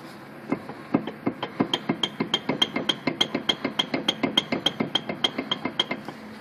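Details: 2005 Mazda with a worn wheel bearing so loose the rotor rubs on the spindle frame: sharp metallic clacks, about three a second, quickening as the wheel turns.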